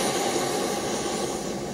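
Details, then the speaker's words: New stove on LighTake windscreen and cookset, valve opened slightly and lit with piezo igniter: smooth steady rushing roar with no sputter or pulsing, burner running clean and even. "fired right up you can see that I have Flames very powerful little stove"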